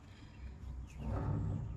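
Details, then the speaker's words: Boat trailer wheel hub turned by hand with the tire removed, before hub replacement. A rough, dry rumbling grind swells as it turns because the wheel bearing has no grease in it; it should not grind like that. "Wheel hub assembly. Listen to how that sounds. It should not grind like that. No grease. No grease in there."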